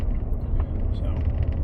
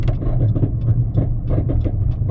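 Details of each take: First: Road test after hub bearing replacement: only smooth, even road rumble at cruising speed, no growl; quiet wheel bearing, earlier growling attributed to the old hub bearing. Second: Deep steady low growl under road noise with occasional clunks while driving; badly worn wheel hub bearing, possibly failed so far that the rotor contacts the caliper bridge or spindle.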